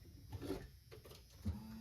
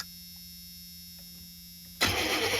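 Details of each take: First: Chevy G20 conversion van with a freshened-up fuel system: after key-on a soft clunk, then a faint steady whir as the fuel pump cycles a couple of times and primes, drawing gas up from the tank. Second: Chevy G20 conversion van with a freshened fuel system: the starter spins the engine for a couple of seconds, stops, then cranks again without catching. Crank, no start, with no fuel from one dead injector.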